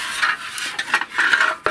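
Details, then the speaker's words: Big Bear 400 ATV stock muffler, baffle broken off and rolling inside the can: tinny clatter and rolling rattle like a box of rocks while riding or shaken; broken muffler baffle, replaced with an aftermarket pipe. "That's what it sounds like the whole freaking time you're riding. I think the baffle must have broke more than what is it? Yeah, it it was in there just rolling on the"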